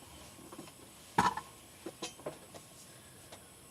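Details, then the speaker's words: Retro PC floppy drive formatting a disk in a quiet room with its light on; a handful of light, uneven clicks and one louder clack as the head steps, normal floppy seeking. "The floppy light is on. I don't hear it though. Yeah, I do."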